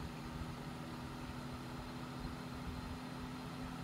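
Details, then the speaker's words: Hunter 12" table fan (special edition, April 2004) on speed one after cleaning: steady low hum with constant drone and rough rumble; abnormal noise it did not make when filthy, cause unknown. "you can kind of hear the sound already it did not make this at all when it was um filthy so find it strange it's making all this noise"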